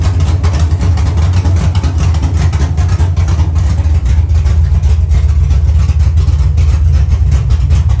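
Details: Dropped Chevy truck, cammed 5.3 V8 with Texas Speed 232/234 110 LSA cam: loud lumpy idle on open headers, deep uneven chop about two and a half beats a second, steady and healthy.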